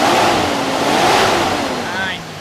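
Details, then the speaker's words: 1979 Ford F-150 4x4 with rebuilt 460 V8, MSD distributor and electric fans, after sitting a while: at startup a thin squeal rides over the revs and falls in pitch with them. Belt slip suspected, possibly from steam cleaning. "well go ahead and fire it up for you belt squeal there grip it up again here"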